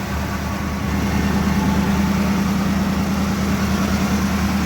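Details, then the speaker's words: One-owner 1979 Chevrolet Scottsdale 4x4, carbureted V8 on old gas with a battery charger connected, just started after sitting: deep, steady V8 burble with an even low rumble, no misses or knocks; idling smoothly. "that is so weird now what do you guys think now man it is sitting here just purring"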